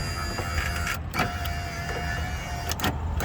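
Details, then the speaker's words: 2008 Nissan Armada driver door after window motor and regulator replacement, key on and engine off: smooth, steady motor whir as the glass travels, no grinding or clicking. Normal power window operation. "now take the switch and see if you have alignment going on and wow that sounds great"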